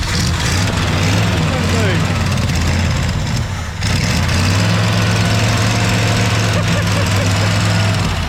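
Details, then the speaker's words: 1965 Ford Galaxie 500, first start after sitting for years, carburetor missing its choke: loud, lumpy low idle that wavers and nearly dies, then recovers unevenly; flooding with no working choke, thermostat gasket leaking water. "It ain't idling good. It ain't got no choke hookup or nothing on it."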